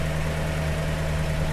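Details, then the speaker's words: 1948 Buick Roadmaster Model 79 wagon, 320 cu in OHV straight-eight: low steady idle, even and smooth on all eight cylinders, no misses or knocks; a fuel leak remains. "but man that thing sounds good it sounds like it's running on all eight yeah you notice how smooth it is you can put an egg on the hood it wouldn't roll off"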